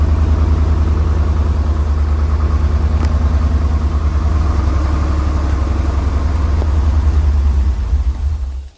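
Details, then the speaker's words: 1985 Porsche 928S V8 idling rough after fuel pump replaced under warranty, following new plugs and wires; deep, uneven loping throb that never settles, injector cleaner added; owner suspects an injector or fuel filter, not confirmed. "all right let's run it out but it's rough"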